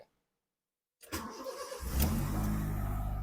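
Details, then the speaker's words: Honda City automatic with erratic idle, after cleaning and refitting the ISC valve: starter whirr, engine catches and idle rises straight up steadily with no dip; normal start, idle to settle as engine warms. "Nah, harusnya kayak gitu, Guys, ya. Jadi dia enggak ng-edown dulu ke bawah, harusnya dia langsung naik."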